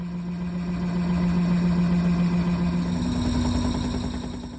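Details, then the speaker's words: Sailboat electric drive motor, replacing an old Atomic 4, at higher rpm: a hum stepping up in pitch with fast light clicking. The shaft is aligned but a slight wobble shows at the tip, which the owner fears will wear the motor bearing. "at a higher RPM you can hear it clicking there and if you look really close you can see it wobbling here on the tip the other side of it at the bearing is not vibrating at all but that little bit of vibration I'm sure is going to kill it"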